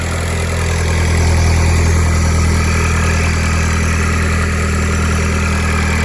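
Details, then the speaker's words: TDI diesel at a slightly raised cold idle, warming up right after a junkyard airbox swap. Smooth, steady clatter with no misses or knocks: normal cold idle. "There we go. Idle kicks in, help warm her up in the cold."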